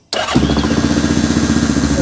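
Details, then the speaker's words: 2002 Yamaha Grizzly 660 ATV, carbureted single cylinder, first start after sitting eight years, cold: catches at once into a steady even thumping idle, no misfires, idle slightly low; healthy start and idle. "actually sounds pretty darn good check my cooling out"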